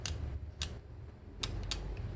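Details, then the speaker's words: New 8-speed road bike in outermost rear sprocket, derailleurs correctly set, chain nudged slightly inward while cranks turn slowly backward: light irregular ticks as the chain brushes the ramped teeth of the neighbouring sprocket; expected to fade as parts wear in. "이렇게 살짝 하고 올라가려고 하는 것 같이 그러면 소음이 나요 예 스친소 흥이 날 거에요"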